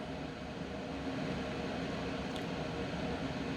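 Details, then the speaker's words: Coway AP-1008CH air purifier ramping from third level to turbo: steady air rush with fan whine growing more intense and shifting in tone, no ticks or rubbing; normal operation. "well you can really hear the loudness of it but you can hear the the whining of the fan is getting more intense and it's also shifting in color a bit"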